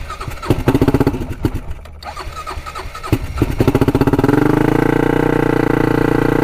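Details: 1999 Honda 400EX turbocharged quad, first real test drive with added oil and fuel pumps: revs rise and fall unevenly instead of holding steady; still surging, cutting out when boost hits; owner suspects it is flooding out.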